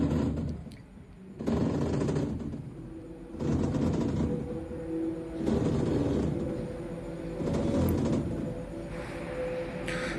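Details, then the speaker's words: Panasonic top-loader washing machine, customer's video: loud grinding rumble in bursts about every two seconds during the wash cycle but quiet in spin mode, suggesting a noisy gearbox; pulley to be removed to check. "Dear viewers, its problem is when wash, it's making noisy. But see, but if I put the spin mode that time is no noisy. So it means when is washing time it's making noisy, but spin time is okay."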